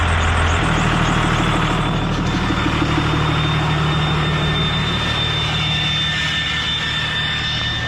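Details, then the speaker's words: 5.9 Cummins 12-valve diesel with VGT turbo revving: heavy rumble with a thin steady high whistle and strained, choked note; the exhaust brake keeps sticking on. "Yeah, it keeps sticking. The exhaust brake keeps sticking on."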